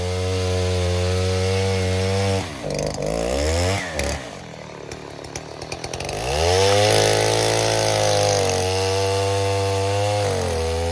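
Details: 070 clone chainsaw with 42-inch solid bar, first use, cutting white oak firewood; screams steady at full throttle, dips and bogs briefly into the cut, then recovers strongly; pulls cleanly under load, running well.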